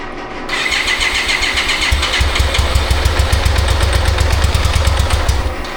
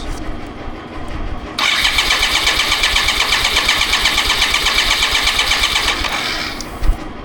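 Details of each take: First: 1995 BMW K75RT motorcycle sat nine years, after fuel system overhaul and new radiator fan and coolant temp sensor: cranks, catches, then uneven lumpy beat with cylinders dropping out, no response to throttle; misfire later traced to injectors not delivering fuel. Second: 1995 BMW K75RT motorcycle after 9 years sitting, testing injectors after new Z intake pipe, fan and temperature sensor: engine catches and holds a quick, fairly even raised idle for a few seconds before shutting off; sounds healthy.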